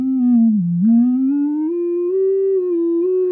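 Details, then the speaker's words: Fender Silver Face Super Reverb speakers on slow test tone sweep from low frequency: faintly buzzy, square-edged sound above about 300 Hz from voice coil rub, worst on the replacement driver; another driver rubs at a different frequency. "you can hear it sort of kicks in there and ironically that's the replacement that's doing that worse than the others"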